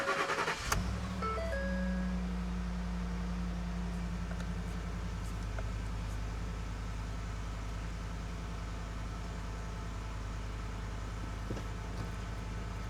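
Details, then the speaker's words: 2011 Ford F-150 5.0 V8, about 225,000 miles, cold start after cleaning a dirty throttle body to cure a rough idle. A quick catch, then a steady fast idle around 1000 rpm with no misses. Normal cold start and fast idle. "So right now, this is a cold start, so it's doing about 1,000 RPM."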